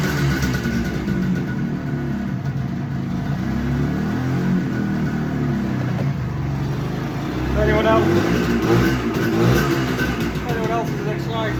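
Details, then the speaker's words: 1975 Suzuki GT250 air-cooled two-stroke twin, a barn find first running after 18 years using easy start: crisp ring-ding firing on both cylinders, revving up and settling back cleanly. "Right, that's a win. It's running on both cylinders. Absolutely brilliant."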